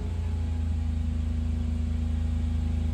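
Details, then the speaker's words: 1996 Suzuki Jimny K6A turbo manual with aftermarket exhaust, held at 3000 rpm: even deep drone with smooth exhaust pulse, no stumbles, surging, loss of power or breakups; healthy engine. "You can see there's no stumbles, no loss in power, no breakups."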